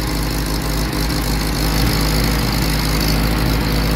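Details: Willys CJ2A Jeep L134 with new plugs, wires, coil and new Carter WO carb, idle and mixture screws tuned by ear, heat riser not fully closed: low uneven idle, occasional stumble, missing intermittently; cause unknown.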